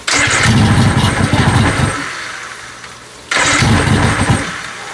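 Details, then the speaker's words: 1997 Johnson 115 OceanRunner two-stroke outboard, after sitting about a year: catches and roars roughly two seconds, sags, catches again with heavy smoke; flooded during starting. "It's smoking so much because we had that thing open and just flooded the hell out of it."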